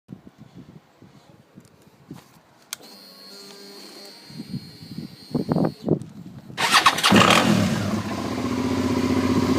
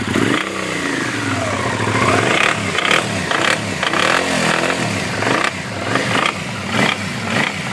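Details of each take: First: 2009 Suzuki SV650 Sport V-twin starting and idling evenly with no knock; at higher revs it develops a metal-on-metal knocking, tensioner checked fine, oil was found very low. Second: 2009 Suzuki SV650 Sport V-twin revving up and down: normal at idle, sharp metal-on-metal clatter bursts as revs climb; cam chain tensioner checked fine, oil was found very low.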